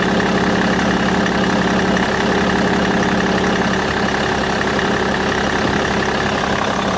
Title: Bmw e61 engine strange noise